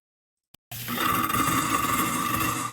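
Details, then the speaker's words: Garbage disposer (food disposer, Badger/InSinkErator type) switched on: harsh rattling grind with a steady high hum from start-up; a beef rib bone is lodged and jamming it, freed with an allen key under the unit, tongs, and the reset button. "isn't that terrible isn't that letting you know look something is being destructed something is being destroyed stop"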